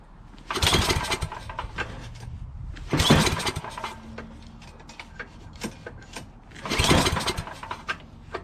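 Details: Yardman 8.5 hp 26-inch two-stage snowblower reassembled from parts, fuel present, throttle part missing; three hard recoil pulls, each a brief spin of compression thumps dying away, never fires; spark later confirmed; cranks but no start.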